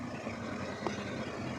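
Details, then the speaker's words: C4 Corvette after fuel pump replacement and new battery, first start after sitting two years: loud, low, even idle hum with steady beat, no knocks, ticks or misfires; normal idle. "did you hear how it ran i think it's loud i like it i like it"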